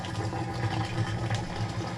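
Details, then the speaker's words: Maytag Centennial top-load washer, model MVWC555DW1, in diagnostic test mode draining: steady, even low hum of the drain pump running normally while pumping out water. "it's draining. You can hear it draining, so it's really good."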